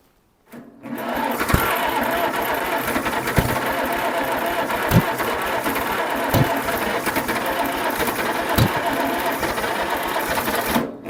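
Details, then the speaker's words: 1947 Farmall Cub with muffler fitted and magneto moved around cranks steadily with occasional thumps but never fires, same as the day before. "Well, we still got the same problem."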